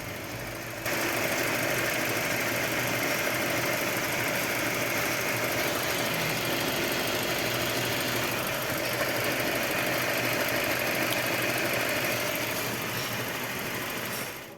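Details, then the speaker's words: Mercedes C200 W204, CGI direct-injection engine, idling with cylinder 4 coil getting no trigger signal; unplugging that coil doesn't change the running. Steady idle with a regular stumble; one-cylinder misfire, injection module suspected. "e após isso eu desligo o conector da bobina para você perceber que o funcionamento do motor não muda ou seja não piora como desligamento da bobina Exatamente porque ela não tava funcionando"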